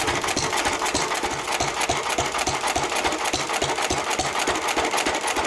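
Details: 1923 3.5 hp Emu (rebadged Hercules) hit-and-miss engine, first start in 20+ years after oiling a sticking magneto/exhaust valve linkage; sharp, even firing thumps about three a second with light mechanical clatter, running sweetly.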